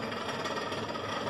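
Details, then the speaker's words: Continental RFCT455 duplex frost-free fridge: loud steady rattling whir as the freezer fan blade scrapes built-up ice; the control board was not defrosting, fixed by resoldering cold joints and cleaning relay contacts. "o ventilador está fazendo barulho quando estivesse pegando alguma coisa então a gente vai descobrir isso agora"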